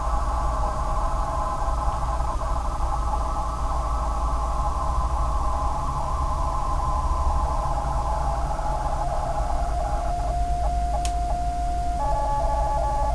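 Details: Corsair GS600 PSU: a steady mid-pitched hoot over soft fan hiss that shifts pitch near the end, an abnormal power supply whine; the replacement unit did the same, then failed after about 3 months.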